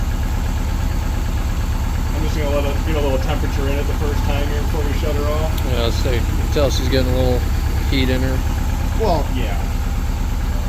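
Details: Subaru 2.5RS rebuilt engine, first run after reinstall, radiator not yet refitted: steady unbroken idle, even low drone, no tapping, rattle or stumble; alive and sounding really good, normal.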